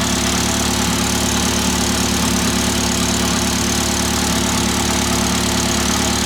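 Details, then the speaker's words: Fully built Mitsubishi Evo X SST, PT6466 turbo, at idle: tappy valvetrain from dual valve springs and high-lift cams, plus a light metallic buzz. Owner doubts an exhaust leak and suspects a heat shield rattling near the exhaust downpipe, not the engine. "one of the heat shields are rattling that's what it sounds like because if I put my head right down there it's definitely not coming from the engine it's coming from like the exhaust downpipe"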